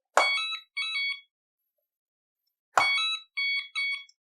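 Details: Hoverboard (Scooty R12) with a blown capacitor and a battery not charging, switched on while connected to the charger: a thump, then two short bursts of high beeps repeating about every 2.5 seconds.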